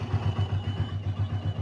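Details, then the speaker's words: Yamaha Vixion (old model) single-cylinder after engine rebuild for rough kletek noise blamed on a worn, scored block and piston: even low thumping about eight beats a second, no ticking or knocking, the earlier noise gone; normal idle. "Nggak nggak bunyi lagi kayak tadi ya"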